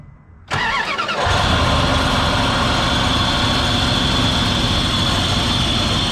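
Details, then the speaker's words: 2002 Dodge Durango R/T at idle after water pump replacement, started to check leaks: steady rough whirring hiss from the worn A/C compressor clutch bearing; to be bypassed with a shorter belt. "one thing we did notice when we were putting the belt back on clutch on the air conditioner the bearing is worn out"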